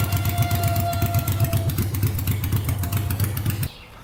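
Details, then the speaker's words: Honda 500cc engine swapped into a tractor, warming up after wiring repairs: deep, steady, even thumping idle, about four beats a second, no leaks or issues; a healthy warm idle. "But it's running good. No issues yet. No leaking at all. So far so good."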